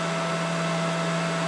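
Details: Mikini 1610L mill after replacing the BLDC motor and loose-pulley drive with an AC inverter-duty motor and Hitachi sensorless vector VFD, cutting aluminum: steady clean spindle tone, even cutting hiss, no chatter or rattle; normal spindle cutting.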